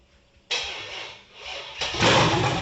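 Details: 1978 El Camino with a rebuilt, cammed 6.0 LS V8, first fire-up with the timing distrusted: near silence while cranking, then it catches and roars unevenly, surging. Hard start; owner suspects the cam is limiting air and says it needs tuning.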